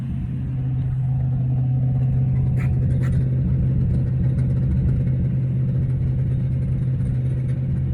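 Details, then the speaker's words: 1995 Range Rover Vogue SE, Rover 3.9 serpentine V8 after a top-end overhaul, first start, at 2000 rpm bedding in the new camshaft: a deep, steady hum with no misses or knocks. A bit noisy but runs sweet; dash readings normal. "Anyway, it starts. It's a bit noisy, but engine runs sweet enough. 2000 RPM, just bedding in the camshaft, everything's behaving itself on the dashboard."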